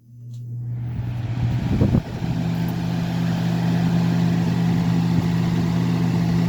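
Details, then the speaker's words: Lasko 3750 box fan (2000–2001, 2.2 A rated, 60 Hz), motor previously seized and now cleaned, started on high at 123 V. Spins up into a steady, somewhat loud hum with a smooth air rush, drawing 1.9 A, 172 W. Normal running. "Running at 1.9 amps, 172 watts. Kind of loud, but it is what it is."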